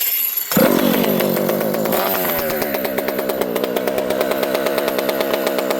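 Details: Rebuilt Partner P42 two-stroke chainsaw run on the bench in warm spring weather: picks up cleanly, dips, then holds a steady even beat with no bogging; runs well, though owner notes the very open pipe spits much fuel.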